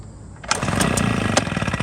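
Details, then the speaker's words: Small warmed-up engine with choke open, its foam air filter replaced by five cigarette filters in a baby bottle: quiet cranking, then it catches and sputters unevenly, a reluctant rough start; owner suspects the intake restriction. "Oh, I didn't want to really start up, huh? Didn't really like that. I already warmed it up, so it should have started. It doesn't like that restriction, I'm guessing."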